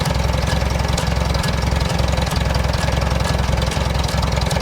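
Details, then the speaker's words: 1947 Farmall A tractor after the idle jet was turned up: firm, even thumps about three and a half per second with no misses or rattles; clean, well-set idle, before engaging the PTO. "I get about right there. That sounds real good for idle."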